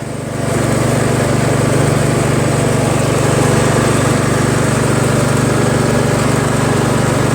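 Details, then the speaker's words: Troy-Bilt Pony lawn tractor, deck/PTO engaged, after hole drilled out to cure surging: engine picks up then holds smooth, even beat without rise or fall; steady running. "sounds good. It's not surging because I drilled out the hole, right?"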